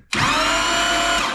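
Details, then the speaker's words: 2005 Chevy Corvette, newly installed C7 starter with heat shield: engine turns over with a smooth whirring spin and no compression pulses because the spark plugs and exhaust are removed; normal cranking. "there you go if you guys are concerned it doesn't sound like it's making any compression well there's no spark plugs on it and there's no exhaust on it so nothing really to worry about there"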